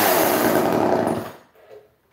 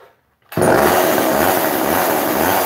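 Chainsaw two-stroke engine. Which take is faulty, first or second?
first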